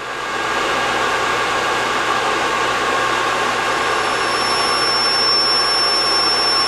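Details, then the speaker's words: DIY one-quadrant IGBT PWM motor controller driving a go-kart motor: a thin, steady high whine over hiss from both the controller and the motor, caused by switching at 5 kHz, a frequency humans hear easily. "so I don't know if you can hear that but there is an awful line coming from both the controller and from the motor that's because I'm switching at 5 kilohertz which is a very good frequency for humans to hear"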